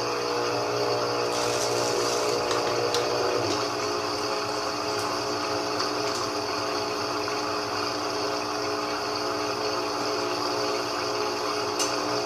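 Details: GE 15 kg washing machine that had been banging against the cabinet sides, after repair. A steady even hum with soft water swish and no knocking; the noise is gone and it runs normally.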